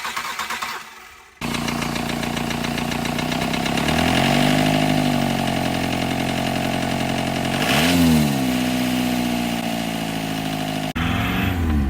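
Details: Diesel engine with a knock present for 2000 miles starts and idles with a hard, regular knock under the clatter through throttle blips; owner suspects a blown head gasket.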